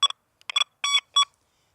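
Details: XP Deus II over a small iron ring and spade shovel: short choppy bursts of high beeps, broken and uneven rather than the smooth tone a nickel gives; the forced, rough signal of an iron target.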